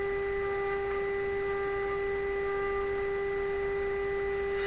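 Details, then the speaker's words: Canadian Westinghouse Model 684 radio: a steady mid-pitched buzz from the speaker with a faint rasp over it. A loose wire is rubbing the speaker cone, and the sound changes as the radio is moved. Speaker cone rub buzz. "That sound variation you're hearing, I have been curious about a few times. In this case, it's this piece of wire rubbing up on the speaker cone slightly."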